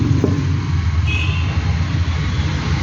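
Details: Mitsubishi Pajero 2.8 diesel: rough, puffing low-end rumble, the hollow chuff of an exhaust leak, heard at cylinders two and three.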